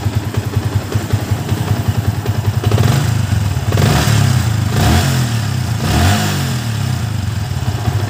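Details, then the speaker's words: Yamaha Vixion new model after top-end/block work for a rough, noisy engine and block leak: crisp, even firing climbing cleanly on throttle blips and settling back, no knocks or rattles; normal revving. "kita dengarkan bersama sama suara mesinnya kalian bisa dengar skelp aman sentrik ataupun keteng aman ini sudah menurut saya sudah sangat luar biasa"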